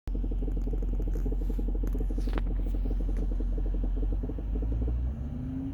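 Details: 2015 Range Rover Sport L494 SDV8 4.4L idling in park: deep rumble with fast knock about four times a second from front left underbody, heard under car and in cabin, suppressed by revving; source unknown, owner suspects something loose behind underbody shield.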